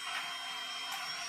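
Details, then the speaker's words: EverExceed RM15000 inverter after repair, cooling fan with AC input failed (battery backup): fan spins faster than on AC normal, since the site's mains is only about 210 V; steady airy rush, faint high whine, healthy. "Ketika AC normal itu dia lebih kecil putarannya. Ini AC normal, coba AC fail."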